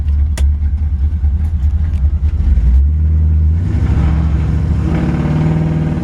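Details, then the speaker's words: 1973 Chevrolet Camaro with a 350 V8, lowered 2 inches, new starter fitted that morning, on a test drive. The V8 pulls up, then the pitch steps down cleanly on each upshift with no flare or clunk. Transmission shifts perfectly; healthy drivetrain. "Transmission shifts out perfectly."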